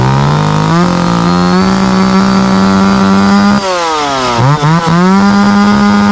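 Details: Small two-stroke after its dried-out carburetor fuel-pump diaphragm was rehydrated: idles steadily, picks up cleanly on throttle, recovers from brief dips; starts and runs as it should.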